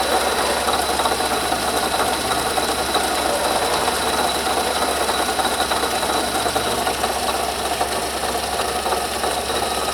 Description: I heard a noise coming from under my hood that keep getting louder and decided to get my camera and investigate.